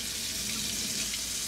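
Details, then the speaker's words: Delta single-handle faucet after replacing the RP50587 valve cartridge to cure squeaking/grinding: cold water running with only a smooth, even rush and no squeak or grinding; normal quiet faucet flow. "you got your cold let it run for about three minutes in case there's anything in there let that just clean itself out as you can see it's quiet no more noise"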